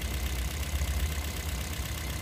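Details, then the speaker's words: Toyota Vios 2nd-gen petrol engine idling uneven and lumpy with strong vibration; fourth ignition coil gives no spark while the others spark, so one cylinder misfires from a dead ignition coil. "Ayon mapapansin niyo walang spark o doon kasi dapat meron tayong maririnig na spark"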